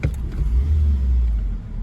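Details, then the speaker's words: 2007 Suzuki SX4 with 332,000 km, stumble on rapid acceleration: quick throttle blip from idle, revs rise sluggishly and bog briefly; scan data shows RPM climbing with almost no mass airflow increase, cause unconfirmed. "keep in mind the issue with the car is there's a there's a stumble on rapid acceleration so what I'll show you here is let me just flip this throttle quick hopefully you can hear that on the soundtrack"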